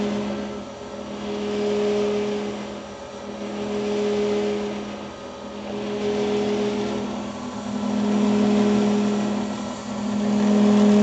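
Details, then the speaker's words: Grizzly G310 milling machine spindle running at 2220 rpm: steady motor hum whose loudness swells and fades every two seconds or so, a rhythmic throb that gets louder at higher rpm; cause not yet found. "now i'm hoping you guys can hear this pulsating effect that's going on when i turn this on um and like i said when you go faster in rpms it just sounds louder and everything else"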